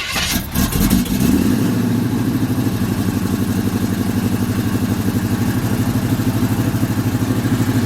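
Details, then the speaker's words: Cold engine on a 30-something-degree day, idling, on the Cutlass; after partial repair the exhaust leak is not as bad but still heard at the rear header bolt/gasket: fast sharp ticking puff about three per second, exhaust manifold leak. "it ain't as bad as it was but you can hear it right back there in the back with that boat we called the gasket"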